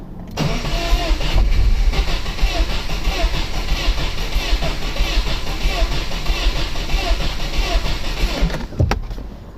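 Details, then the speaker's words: 2013 Subaru WRX 2.5L, second replacement engine fitted at 46,000 miles, no start with missing injector pulse: about eight seconds of steady cranking without firing; scope showed cam-to-crank relationship off by 36 degrees. "so did I miss it there we go pretty sure the cam timings off"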